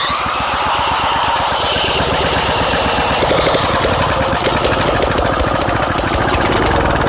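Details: Engine run with its muffler removed: very loud, raw crackling exhaust with rapid sharp firing pops and no damping at all.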